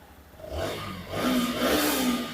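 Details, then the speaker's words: Black Panther motorcycle at its 6th paid service, revved in short blips: light metallic knocking from the cylinder head, not burning oil; worn rockers and cam, head to be rebuilt with rocker, cam and valves. "बस खाली जो है ना engine से आवाज आ रही है। Head से मतलब हेड से जैसे रॉकरवकर होते है ना रॉकर हो गई। केम हो गई।"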